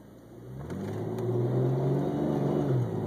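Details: BMW E46 automatic pulling away from a cold start: revs surge and dip unevenly with jerky acceleration, smoothing at higher speed; idles fine; later found very low on automatic transmission fluid, about 3 quarts.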